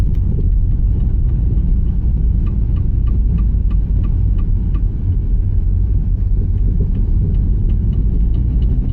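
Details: Opel Astra J while driving: light metallic ticks about three a second over steady road rumble, a hammer-like front suspension knock; on removal the inner CV joint was found binding in one position and pushing the driveshaft toward the knuckle. Fixed by replacing the driveshaft.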